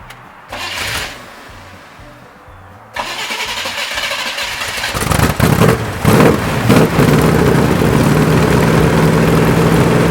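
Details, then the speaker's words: Abandoned 1967 Camaro big block, Holley 4-barrel, Torquer intake, HEI, sat for years, revived with new parts-store fuel pump fed from fuel jug: a few cranking beats, then fires and settles into strong, even lumpy idle, no misses or knocks. "So we got a parts store fuel pump for about 20 bucks, bolted it on there, run our hose out to the fuel jug, and this thing fired right up and sat there and ran."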